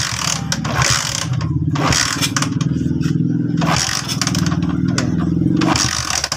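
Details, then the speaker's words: Motorcycle being kick-started repeatedly with fast, even chuffing on each stroke, but it never catches; no current coming out of the high tension wire, so no spark; engine will not start. "At sa pagkakataong yan mga boss, ayaw lumabas daw ng kuryente dito sa kanyang high tension wire."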